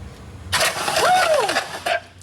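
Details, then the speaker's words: Wrecked Porsche 911 Turbo engine, hydrolocked with oil in cylinders, spark plugs out and turbo disconnected: starter cranking without firing, loud spraying hiss as oil shoots out of cylinders; cranking to clear hydrolock oil, engine later found good. "So now what we're going to do, hopefully we can try to at least just crank it over without that turbo being connected, just so we can get some of this stuff flowing, you know what I mean?"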